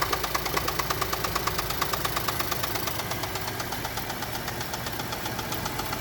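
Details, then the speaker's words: Chevrolet Traverse with existing engine knock, cold start after oil pressure builds, before warm-up, testing thicker oil plus Lucas oil stabilizer: sharp metallic tick about three per second over quiet idle, softening slightly as idle drops; internal engine knock persists. "all right oil pressure is built up currently knocking still let it warm up a few minutes and then uh let's see if it goes down at all"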